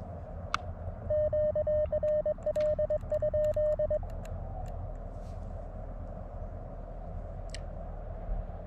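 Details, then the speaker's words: LNR MTR4B transceiver on 40 meters, speaker audio: over steady receiver hiss and keyed Morse tone, occasional sharp isolated pops seconds apart, also when switching bands; absent on Elecraft K1/KX2, suspected internal to the LNR. Intermittent speaker pops. "for the most part it's quiet it's just every once in a while you would hear the speaker pops right now it's behaving well"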